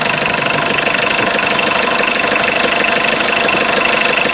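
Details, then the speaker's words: 1984 Mitsubishi Mighty Max 4x4 5-speed turbo diesel, 156,189 miles, cold idle after about five seconds of glow plug: steady even clatter with a faint high whistle, no misses or knocks. A little blow-by noted. Normal diesel idle. "it's a very good running engine"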